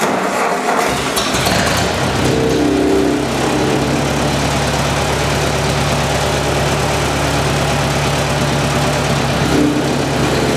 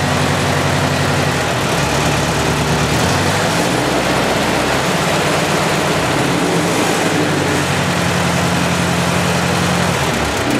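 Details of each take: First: Ford 8N tractor after Marvel Schebler carburetor rebuild, idle jet deliberately turned off its setting with a screwdriver: engine starts and runs, then the idle goes uneven and wavering instead of steady; idle flutter from misadjusted idle jet. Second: Ford 8N tractor after Marvel Schebler carburetor rebuild: steady, even low chug at idle with no stumbles or misses; normal idle.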